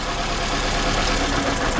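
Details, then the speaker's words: 2012 Scion xB 2AZ engine at idle while unplugging coils to verify the misfire, starting with cylinder 1: rough, uneven, lumpy stumbling beat instead of a steady hum; one cylinder not firing. "so there's definitely a misfire on a cylinder I'm going to verify that it's number one"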